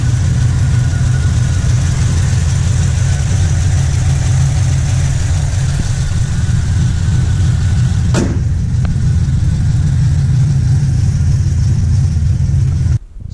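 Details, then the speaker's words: Truck after factory electric cooling fan conversion replacing fan clutch, first drive: steady engine drone with even rushing fan whoosh, audible from inside the cab, no rattles or surging. Normal electric cooling fan operation. "you guys can see the fan saw and really make that much noise you could definitely tell when these things kicked on even inside the truck you can hear them"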